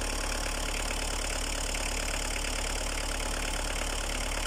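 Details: Opel Astra I 1.7D naturally aspirated diesel, Bosch VE injection pump, 150,000 km, first cold start after two years unused: even diesel clatter at steady cold idle, no stumbles or misses; normal cold idle.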